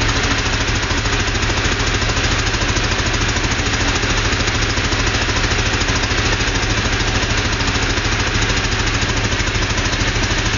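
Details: Porsche 2-litre flat-six running steadily, with an even pulse of about three beats a second over the exhaust; engine noise of unknown cause.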